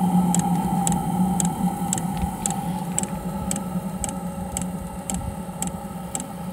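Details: Espar hydronic coolant heater on an International truck, suspected to have debris chunks inside: after the igniter works it fires, giving a steady burner hum with a light, even fuel-pump tick about twice a second; running normally.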